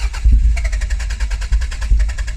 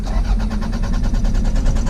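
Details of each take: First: Mk2 Toyota MR2 sat 14 years, recommissioned with fuel added and spark plugs refitted: engine catches after a few uneven firings and settles into a rough but continuous run; it starts and stays running. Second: Toyota MR2 Mk2 that sat for 14 years, first crank attempt; starter spins the engine in a quick, even chug, about eight pulses a second, but it never catches or fires; cranks but no start.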